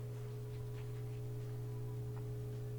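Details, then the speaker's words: Whirlpool direct-drive washer whose door won't open, running a drain and spin cycle on an empty tub: steady low electric hum with a faint higher tone, no water sloshing; drain pump operating normally. "i can hear the drains active but there's no water in there so you don't really hear it sloshing around"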